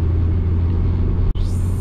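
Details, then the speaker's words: 2004 Saab 9-5 Aero, about 200k miles, driving under boost: deep rumble then a sharp rising whistle-hiss settling into a steady high hiss, with the owner hearing something at full turbo and lacking full power; he suspects a vacuum leak. "it sounds like i got like a vacuum leak or something going on uh but but anyways let's get back to the review"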